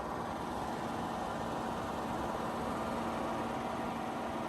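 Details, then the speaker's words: 42-year-old Suburban furnace after its worn blower motor was replaced with a new motor: soft, steady whir with an even low hum and no rubbing or rattle; blower running much quieter, normal. "All righty, it's running with the new motor. Much quieter."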